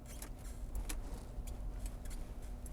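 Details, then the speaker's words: Skyworth K (Skywell ET5) SUV while driving: short dry plastic creaks and squeaks over low cabin rumble as the center console trim flexes when a leg presses against it; reviewer suggests it needs lubricating. "Słyszycie? Trochę to skrzypi, trochę to piszczy. Ta konsola środkowa jest solidna, ale jednak jak trzymam tutaj nogę i jeżdżę, no to ten pisk jest dość przerażający."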